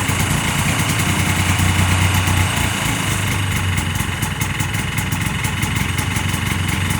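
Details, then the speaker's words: 1981 Yamaha G1 golf cart single-cylinder engine, ice-cold second start after rebuild and fuel pump re-prime, catches and settles into a steady even putter with no misses or knocks; runs well. "Of course, that removes the first fire, but it's ice cold, and we'll do it again. It runs pretty good."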